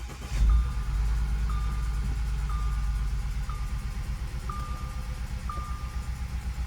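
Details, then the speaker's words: 2012 Audi Q5 2.0T with 103,000 miles and heavy oil consumption: uneven, lumpy idle with a warning chime, from misfires on cylinders 1 and 2 despite new plugs and coils; bogging, shaking, flashing check engine light, blue smoke. "I am getting a cylinder misfire number 1 and 2. But now it's also bogging, it's shaking, the check engine light is flashing."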